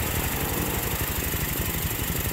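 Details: Honda Beat scooter after the hard-start and misfire fix, no check-engine light: small single-cylinder idles quickly and evenly with no sputter or missed beats, running cleanly.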